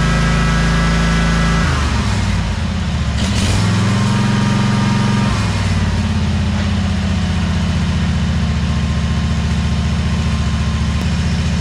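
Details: 2003 Wright Stander, 23 hp Kawasaki V-twin, after the wrongly hooked-up parts were corrected and adjusted: strong, even low thrum that steps up and settles smoothly with throttle, no misses or knocks. It runs properly.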